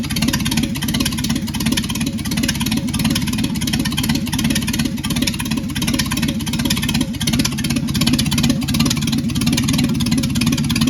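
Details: Secondhand Ford 300 inline six, first test run with junkyard intake, Amazon carburetor, choke held open and no fan. After the fuel line was moved off the return barb that caused flooding, it holds a steady idle with an even low thrum, no stumbling or dying.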